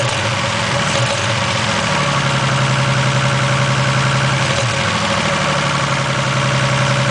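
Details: 1987 Toyota Supra Turbo, just bought, with new platinum plugs (the old ones were fouled) and fresh high-octane fuel: uneven, lumpy idle with a stumbling beat under the drone. Misfire at idle, cause not confirmed.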